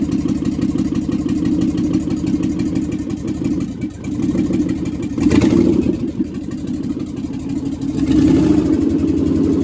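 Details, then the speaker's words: Budget Marketplace 6.0L LS V8 on an engine stand with standalone harness, first fire-up: catches and settles into a lumpy, fairly even idle with a couple of blips, no knocks or rattles; not that loud, oil pressure unverified (no gauge), a little smoke; normal running. "Success. That wasn't that loud."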